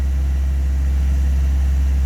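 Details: Classic carburettor and distributor car (Project Ruby) at warm idle during the tune-up, ignition timing set at 8° before top dead centre: smooth, steady low idle with an even, unbroken note and no knocks or misses; engine running healthy.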